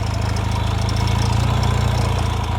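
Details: 1978 Yamaha XS650 twin after winter storage, idling with fuel additive added; steady lumpy idle with faint light ticking, owner says there is a little valve noise, suspected not confirmed. Ticking at idle.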